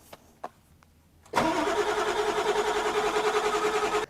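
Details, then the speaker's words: 1997 Ford F350 7.3 turbo diesel, 269,000 miles, new starter fitted: steady cranking, about three compression pulses a second, never fires, no relays heard; crank no start, PCM/IDM suspected unpowered. "okay she spins over I do indeed have a computer for this so that's what we're going to do it's kind of weird there's nothing at all happening I don't hear any relays I don't hear nothing going on this is very concerning"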